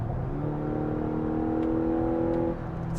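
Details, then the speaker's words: 2025 Mazda CX-70 plug-in hybrid, four-cylinder engine kicking in from EV mode under mild throttle; loud droning hum holds then drops off, nothing mechanical heard; loud engine noise under light throttle. "it's so noisy and even under mild throttle application the four cylinder is is noisy"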